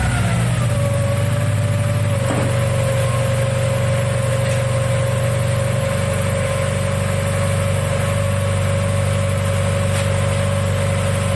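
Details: 1997 Mazda Miata after head gasket replacement, first start: steady, even idle with a smooth low rumble and a constant faint whine, no knocks or misses; running healthy.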